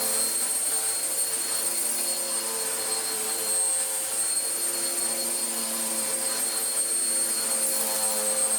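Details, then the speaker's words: Vax Power U84 vacuum running after its off-centre belt problem, with the brush roll removed and refitted and a brand new belt fitted. Even high whirring hum with a steady pitch and no flutter, slap or rubbing; normal running. "So far, so okay. Whoa. I think just removing it and putting it back together has solved it, although, our lovely clean and tidy bin is no longer so lovely and clean and tidy, and our filter is also a bit more dirtier now."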